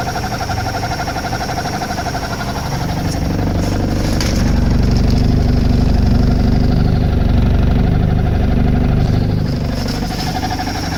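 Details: Mercruiser 140 boat engine at idle: deep steady rumble with a faint constant whine from the bellhousing at the back of the engine; not the belt (still whines with it removed); owner suspects dragging starter or gimbal bearing.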